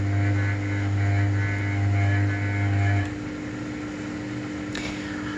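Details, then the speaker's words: Atlantic LF 454 TX washer, cotton cycle, during an intermediate spin: a steady low hum over the spinning drum. It is harmless sheet-metal panel vibration, generally heard only when the tub is empty. "Questo ronzio che si sente che generalmente si sente solo a vasca vuota non è motivo di preoccupazione una semplice vibrazione della lamiera"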